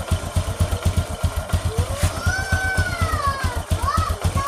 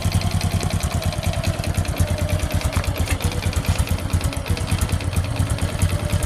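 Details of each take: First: Honda Supra X 125 motorcycle idling after the rotary centrifugal oil filter was cleaned and refitted: a steady low thumping at about four beats per second, even and unbroken under music overlay. A normal, smooth idle. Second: Honda Supra X 125 motorcycle idling roughly: choppy, uneven lumpy idle with wavering pitch that never settles, hard to hold idle; the idle fault is put down to the carburetor, which is dirty and flooding.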